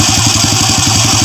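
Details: Honda Wave 100 that had a knocking engine, idling after the loose timing chain was fixed with a stiffer tensioner spring and the magneto cover opened: steady quick idle with no top-end rattle or clatter; normal, healthy idle.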